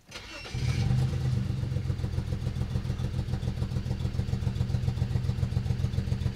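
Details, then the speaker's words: BMW 335i, misfire on cylinders 4–6 persisting after MSD80 DME MOSFET repair and second test: brief crank then shaky stumbling idle; owner suspects injectors next, DME still possible, unconfirmed. "well I guess that settles it we definitely have more of a problem here than we originally anticipated"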